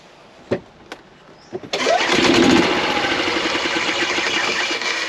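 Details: 2016 Yamaha petrol golf cart after replacing weak battery (low voltage caused slow, intermittent starting): a few clicks, short crank, fires straight away and settles into steady run; starts normally.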